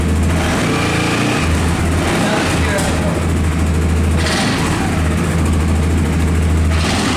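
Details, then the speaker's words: Motorcycle idling with a steady low thrum and a light metallic buzz from a loose exhaust heat shield rattling; it is gone after the fix. "The heat protection making some weird noise and it's very bothering me when I drive."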